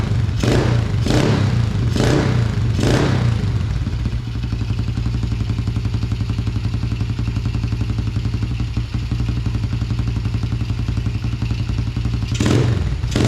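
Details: 2000 Yamaha TTR90 single-cylinder dirt bike, carburetor refitted after falling off, airbox off: thumping idle with throttle blips that rise a touch sluggishly, slightly doggy on hard throttle; suspected to be running lean without the airbox.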